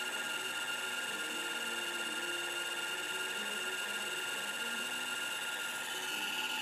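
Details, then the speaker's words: MFM hard drive in a 386 system crammed into an IBM XT case, after low-level format during media analysis: steady whine with fast back-and-forth head seek chatter across the platters; abnormal seeking, cause unknown. "No, it's doing seek. It's going back and forth across the... Yeah, you can feel it going back and forth. The heads are going back and forth across the whole thing, just trying to get there. That's not right."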